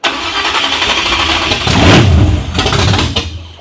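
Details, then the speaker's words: 1987 Chevrolet Monte Carlo SS, freshly installed 383 stroker on first start with open headers: stumbling, uneven, surging and popping instead of a smooth idle; misfire, owner suspects plug wires came off, choke and idle not yet set. "Yeah, I think she's misfiring."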